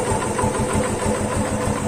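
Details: Yamaha FZ150 single after timing chain repair that cured top-end noise; even, steady idle with no top-end clatter or tapping, quiet and healthy where before it was "singing".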